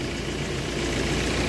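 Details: 2018 Ford Everest diesel that stalled about two minutes after starting, now running after an adjustment and being watched for stalling: steady, even diesel clatter at idle, no misses, surges or stumbles; normal idle.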